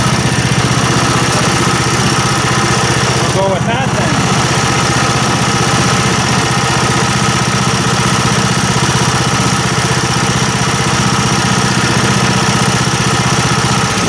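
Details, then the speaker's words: Engine test-run after refitting the mill head, run just to check things are lining up: steady, even beat about three pulses a second with no knocks or rattles; running smoothly. "fire away I don't hear nothing so that's a good thing"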